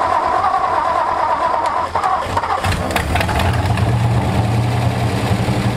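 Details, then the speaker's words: 1964 Ford F250 dump truck with a Motorcraft two-barrel carb, sat over a decade, carb tapped to free the needle and seat, choke pulled: catches after cranking and settles into a low, uneven idle that barely holds, then dies; poor idle. "how's the sound of that oh sad now you killed it these carburetors suck"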